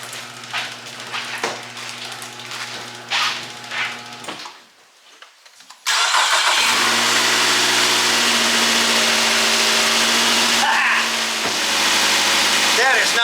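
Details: 2008 Nissan Altima 2.5 after ignition coil replacement; it had been going into safe mode. A brief crank, a quick catch, then an even, steady idle with no stumbles or skips: normal idle.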